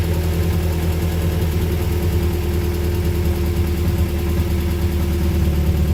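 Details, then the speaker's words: Honda Prelude, first start after sitting, engine harness thrown on as-is, alternator off: loud, steady, deep, even idle, no knocks, ticks or misses, 40 psi oil pressure, no leaks or check engine lights; normal idle. "Alright guys, I don't know if you can hear me, it's kind of loud, but car's on, no leaks anywhere."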